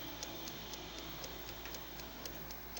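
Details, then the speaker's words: ILO air fryer set to 200 °C with timer on: indicator unlit and no sound at all from the fan or blower inside, only a soft, regular timer ticking about twice a second with no blower rush; fan not running, warranty claim. "No light in this indicator. No sound whatsoever from the air or from the fan or the blower inside."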